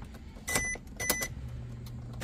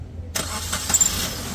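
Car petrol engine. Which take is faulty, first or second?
first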